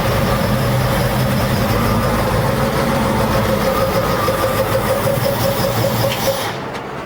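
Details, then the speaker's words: 1966 Ford Mustang, first start, low on antifreeze: low, steady, quiet idle with an even beat and no knocks or ticks. Sounds healthy. "It sounds pretty good though."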